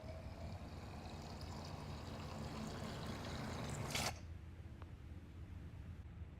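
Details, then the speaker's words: Vintage motorcycle oil drain: steady, heavy gushing pour from the drain that then cuts off; over two quarts of water came out instead of oil, engine oil contaminated with water. "so much water so far I've caught over two quarts of water it's probably this is probably the third quart of water water that I've caught so far"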